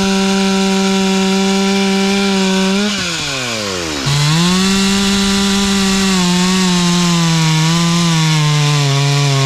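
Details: Stihl 044 chainsaw rebuilt with cheap Amazon cylinder, piston and carburetor kit, OEM coil, carb tuned for summer: high steady scream that dips briefly as the bar bites wood and recovers cleanly to full speed; running strong.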